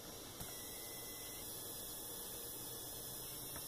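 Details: Laptop power adapter plugged into the laptop before repair: thin, steady high-pitched whine, no charging; cause a loose capacitor with a cold solder joint, likely from drops, fixed by resoldering.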